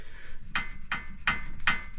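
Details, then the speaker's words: 2008 Pontiac G8, passenger front wheel off: five sharp dry clicks as the tie rod is rotated by hand; suspected broken tie rod, unconfirmed; car shakes badly at stops after sitting for years. "but as I rotate that it you can hear it clicking so I'm wondering if that tie rod is broken"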